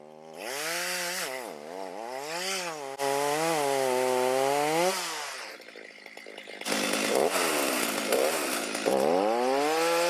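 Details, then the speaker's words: Stihl MS310 chainsaw on a cold start after a no-start fix needing no parts and rakers lowered: revs up cleanly, pitch rising and falling smoothly with throttle, then bites steadily into wood; normal running and cutting. "Not bad, little 310 on a cold start. No parts you need to repair. Back in business."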